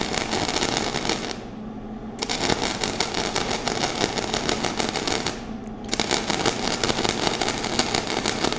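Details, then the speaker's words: Flux-core welding with wire feed speed too high and amps turned down: rough, choppy crackle with uneven popping instead of a steady sizzle. The wire keeps hitting the metal without burning in, giving no penetration. "sounds pretty rough huh so wire speed high no penetration it wasn't burning in whatsoever my wire just kept hitting and it was just really choppy"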